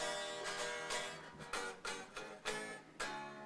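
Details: Harley Benton DG-style Strat after replacing bridge, nut and string trees and lowering the high action, slight neck relief set: plucked and strummed notes ring clear and sustain with no rattle or fret buzz, including at nut and first fret.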